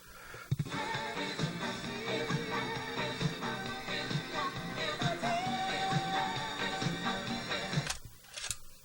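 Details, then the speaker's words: Craig 8-track player, retested after filing the cartridge edge so its shrunken pinch roller reaches the capstan: music plays steadily with no dropouts, pitch wobble or cutting out, reliable normal playback after the fix. "okay I'm going to call that fixed uh that sounds sounds good it's playing consistently"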